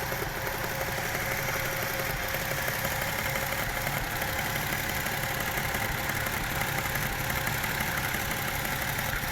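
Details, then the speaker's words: Toyota 1JZ-GE at idle with rpm dips, after new spark plugs, a gearbox oil change and a tightened cable: light, uneven clicking at about three per second over the engine hum. Source unknown; checking camshaft bolt torque was suggested. "Поменял масло в коробке. И вот такие вот щелканья."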